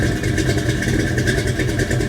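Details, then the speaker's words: Big-block Chevy V8 idling after Remflex header gasket install: loud, lumpy idle with steady pulsing beat and no ticking or puffing at the headers; no leaks, only header noise, sounds good. "all right she fired up no leaks it uh it all sounds it all sounds good all i hear is header noise now so that's uh that's all excellent no problems"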